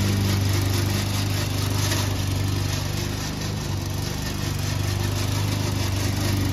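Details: Old Toro Recycler mower, still cutting Kentucky bluegrass, with its engine droning steadily under a loose, fast rattle of about 200 per minute from the dry drive system; the noise was later cured with WD40.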